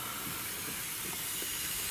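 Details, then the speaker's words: Airy steady hiss from a probably missing O-ring between camshaft position sensor and housing, causing a vacuum leak; oil bubbles there, idle air control valve also leaking air, purge valve hose off; engine has knock and one low-compression cylinder. "Так, здесь у нас шипит колечко, наверное, нету между датчиком положения распредвала и корпусом."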